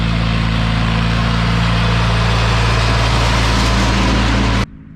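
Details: Wheel Horse 520-H garden tractor with a newly installed 42-inch rear-discharge mowing deck and a tensioned belt, cutting grass: the engine and deck drone steadily under load, smooth and even, then stop abruptly near the end; normal mowing.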